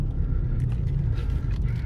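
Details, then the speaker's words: 2002 Jaguar XJ8 with 127,000 miles on a test drive: smooth and powerful but with a deep, steady roar underneath. Suspected bad tires, a wheel bearing or the driveshaft; drivetrain rumble while driving, unconfirmed. "It's smooth and powerful, but oh, it makes a terrible roar. Yeah, terrible, terrible roar. Doesn't sound good at all."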